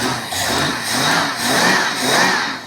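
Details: Water-ski boat engine just after installing a refurbished carburetor: three clean throttle blips rising and falling smoothly with no stumble or misfire; healthy, much improved running.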